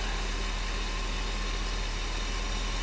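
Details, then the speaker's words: 1990 Mercedes 560SEC after new spark plugs and fixing swapped plug wires, air cleaner off: low, steady idle with even beat, no misses or stumbles. "Oh, yeah, baby. She is so smooth. Look at that."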